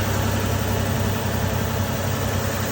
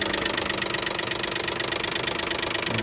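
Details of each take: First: 2012 Nissan Maxima 3.5 L at idle after the noisy intake bracket, which was missing a piece, was replaced: an even, steady low idle with a smooth hum and no knock or tick. The engine sounds healthy. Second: 2012 Nissan Maxima 3.5 L at idle: fast, uneven light knocking, about three and a half taps per second, heard around the top of the engine rather than the bottom; owner assumes a loose intake bracket, found and removed.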